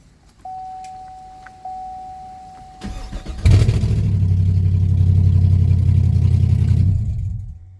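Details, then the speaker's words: 2016 Camaro SS after starter replacement, catalytic converter still off so exhaust is very loud: brief tone, starter cranks quickly and the engine fires into a loud, steady, deep rumble; starter working normally. "all right that was loud it scared the heck out of me but yeah it did start up just fine"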